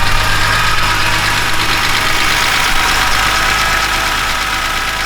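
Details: BMW E46 M3 S54 after new timing chains, guides, tensioner, VANOS rebuild, oil pump, rod bearings and water pump; steady even idle after initial roughness cleared, smooth hum with no chain rattle or knock.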